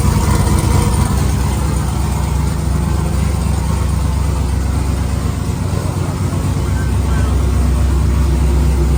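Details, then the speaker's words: 1999–2006 Chevy/GMC GMT800 Silverado/Sierra V8 idling after Flashark long tube header install, open straight pipe before turbo hookup; loud, deep, throaty burble with even pulse, no ticks or misfires, normal healthy idle. "God, is that obnoxious? Oh, I love that feeling when you just fire it up and it's all straight pipe. Man, what a sound."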